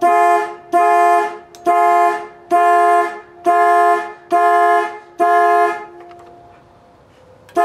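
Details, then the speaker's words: 1965 Ford Falcon horns after repositioning the steering column to fix the horn circuit: loud, steady two-tone blasts about one per second, clear and strong, so the horn is working normally. "okay so now that the horn works we're going to go see if our turn signal finesse works"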